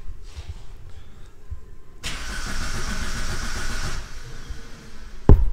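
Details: 2005 Vauxhall Combo B van: engine cranks steadily but never fires; live data shows no fuel pressure; cranks but no start, cause unconfirmed.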